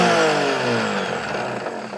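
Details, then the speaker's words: Discarded blender with missing feet, powered up on the bench: powerful high-pitched motor spin-up that winds down with an uneven, rattly roughness. Rough running, cause unknown. "Power lights on. That sounds very rough."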